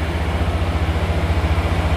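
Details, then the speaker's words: 2021 Honda Scoopy smart-key scooter, started with the brake lever pulled while pressing the starter: a low, even putter at idle with a steady beat and no misses, knocks or rattles; the engine runs healthy. "Hai menghidupkan starter kita tarik tombol rem ya 21 ya kanan atau kiri terserah sambil di starter Hai nah engine hidup Guys"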